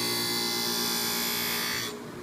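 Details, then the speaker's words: Blackstone G 02 skate sharpening machine grinding a blade: steady, high, hissy grinding of steel that wavers in strength and then drops away as the sparks come and go; the pass is made with uneven pressure, which is incorrect technique. "You can hear it uneven pressure and you can see the sparks come and go. This is not what we want."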